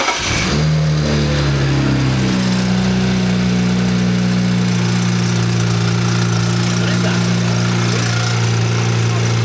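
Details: BMW with nothing found in the drained oil: engine catches and settles into a loud, rough idle with a metallic clatter; knock, owners suspect the wastegate/bypass valve rather than the chain, cause unclear.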